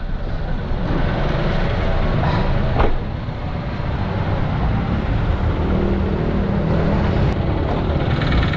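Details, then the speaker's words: Toyota Wigo, engine noisy after heavy rain when water entered the air cleaner via clogged wiper drainage, heard from underneath: loud, rough, deep rumble at idle with uneven heavy knock underneath. "ganyan yung ingay ng kanyang Toyota Wego guys, no, na dinala sa atin. Sobrang ingay. Ang nangyari dito mga boss, pinasok ng tubig yung air cleaner, no sir?"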